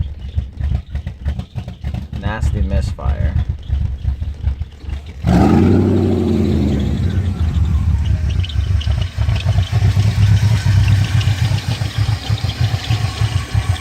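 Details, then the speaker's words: 1997 BMW 540i E39 V8 with a replaced engine, cold start: a lumpy, misfiring idle with irregular thumps, then it stalls and restarts unsteadily; codes P0300/P0304/P0307/P0308, P0111, P0116, P0443, P1385; suspected vacuum leak, and a new TPS didn't fix it. "all right everybody I got a 97 839 540 and it's giving me quite some troubles just replace the engine in it and every time you start it up sounds like this see it died up"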